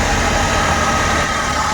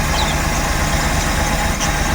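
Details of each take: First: Suzuki Every Wagon after repair of a misfire on one cylinder: small petrol engine idles smoothly and evenly with air conditioning on, no vibration, stumble or shake. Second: Suzuki Every Wagon (DA64W) kei van petrol engine idling with strong vibration that is worse with the AC on. An uneven, shaking low thump comes from a misfire in one cylinder, and the tensioner bearing and belt are also noisy.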